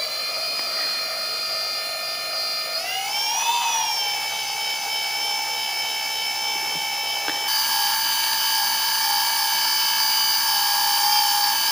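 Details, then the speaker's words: RCTimer 2830/11 1000kv brushless motor on a 450 quadcopter build, set on a CD case to amplify: high whine with an intermittent periodic wobble about four times a second, unlike the other motors; owner suspects imbalance, zip-tie balancing didn't help. "you can hear the vibration a little bit better it's just making this intermittent um periodic sound that just sounds different from the other motors"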